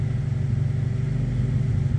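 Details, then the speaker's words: Honda CR-V with misfire, throttle cable adjusted up, idling at about 1,500 rpm on a vacuum gauge: steady, slightly lumpy drone well above normal idle, not holding idle well and nearly stalling. High idle; a vacuum leak is suspected. "So, it's not staying idle. not staying at idle very well. What are we at here? It's about 1,500."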